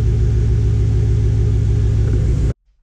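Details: Truck after installing a new battery in a fabricated bracket, with the alternator tested good and the bad battery confirmed as the no-start cause: steady, even engine rumble with no knocks, misses or squeals until shut off; running smoothly.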